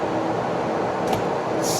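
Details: 2020 Tesla Model Y on the charger in a hot Arizona garage: constant loud rushing whoosh, no pitch change, as the fan runs flat out to cool the battery; overheating stops charging and makes the charger very hot.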